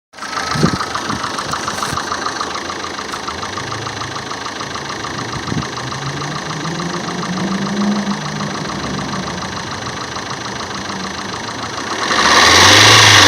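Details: Opel Meriva A at idle: even idle with a fast regular tick about four times a second that speeds up with a blip at the end; source unclear. Abnormal engine noise at idle.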